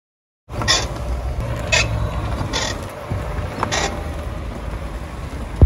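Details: Tesla Model 3/X/Y driving over bumps or steering left/right: four sharp dry creaks over road rumble from the front suspension arm.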